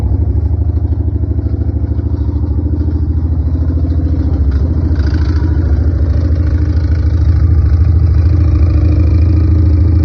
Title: It’s Alive but I have got to figure out what that noise is !